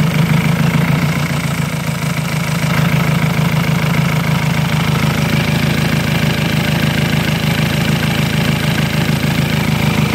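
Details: Ford Jaguar diesel idling roughly in place, with a lumpy, uneven beat of about three pulses per second. The defect is being searched for and an air leak (false air) is suspected, not confirmed.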